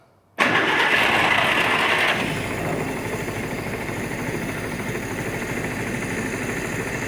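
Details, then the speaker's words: 1947 Willys CJ-2A, unrun for 30 years, restarting: catches and settles into steady but slightly uneven idle, firing not quite clean; owner says timing needs adjusting, gauge shows no oil pressure. "tape I mean it runs pretty good we're going to have to adjust the timing a little bit"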